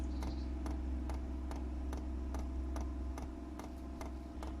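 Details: 8 kW Chinese diesel heater being installed in a static caravan, fuel filter and line filling with air bubbles: sharp regular dosing-pump ticks about twice a second over low hum, speeding up before cutting off; priming air-filled fuel line.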